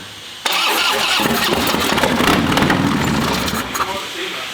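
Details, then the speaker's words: Harley V-twin being revived, with gas poured into the intake: silence, then the twin suddenly fires and keeps running with a loose, uneven beat, confirming ignition. "the good thing is runs you got yeah we got ignition man that's all we needed to know"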